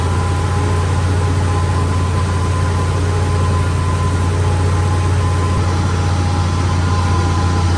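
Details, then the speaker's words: 71–72 350 engine in a split-window Corvette coupe, not run in about 30 years, electric fuel pump, ignition jumped, warming up; loud, steady hum with strong low drone, no misfire or knock, elevated idle even with idle screw all the way out. "Idling pretty fast, but I have the idle screw all the way out."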